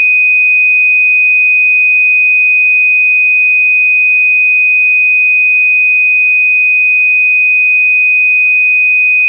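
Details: System Sensor MASS121575ADA alarm horn tone test: a high piercing tone holds steady with a faint repeating chirp about three times a second. The horn sounds properly and evenly; normal alarm tone.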